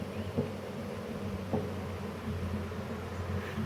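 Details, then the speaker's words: Clunk once per revolution as the cutting wheel of a YardMax YW7565 chipper, under 4 hours use, greased and oiled, slows to a stop and is hand-spun with plug boot off; low hum, owner suspects warped wheel, unconfirmed. "so it's every sort of one full revolution it makes clunk i'm not sure whether that's just a normal thing or not"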